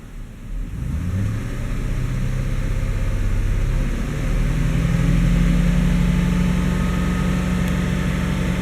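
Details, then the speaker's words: GM 5.3 V8 Chevy Silverado/GMC Sierra after transmission fluid was added to the oil and the engine was revved hard. It settles from idle into a smooth rising rev, and the lifter tick is gone for now, though it is expected to return. "a little bit and stay quiet now you gave it the Italian tune-up beat the crap out of it"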